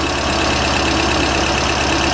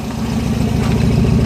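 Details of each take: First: Pinzgauer twin-carb engine, with lubricated linkage, idles busy and steady with a fine rhythmic pulse while both carbs are synchronized with a balancing tool. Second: Pinzgauer, a little cold, just after twin-carb synchronization; steady, even low thrum with gentle throttle rise, no misses, no black soot, clean balanced idle.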